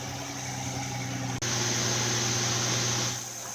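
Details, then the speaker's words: 2006 Infiniti M35 after misfire work and valve cover replacement, first startup warming toward operating temperature: steady low idle hum with hiss and one brief dropout, otherwise smooth; normal idle. "boom sound normal first startup we want to let it sit and run and warm up to get normal operating temperature"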